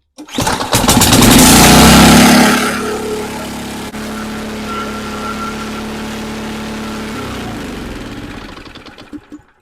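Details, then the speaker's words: Nearly new Ariens Compact 24 snowblower, hard starting, likely stale fuel: after fuel squirted into the intake, pull, loud catch that revs and settles to an even putter, stays running; starts only on primed fuel, carburettor to be cleaned. "All right, so I did get it to start, and it did stay running, which is a good sign."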